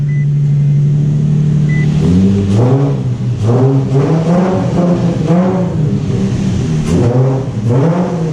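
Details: Infiniti G35 after installing new stainless steel down pipes and a new Y-pipe, in neutral with the e-brake on: even idle, then five clean throttle blips rising and falling smoothly with a deep exhaust note; healthy engine and exhaust.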